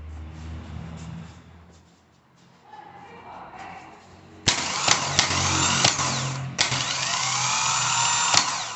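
Quiet lead-in, then a sharp start into a steady high whir, even and smooth with clean spin-downs, starter sounding healthy.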